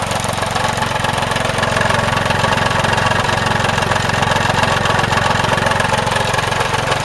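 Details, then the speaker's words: Vintage Craftsman 18" snowblower, rebuilt 3.5 hp Briggs single-cylinder, just cold-started with starting fluid: running fast and steady with a light, slightly uneven beat; owner says the carb mixture needs adjusting. "It does need the carb adjusted a little better. I'm going to work on that."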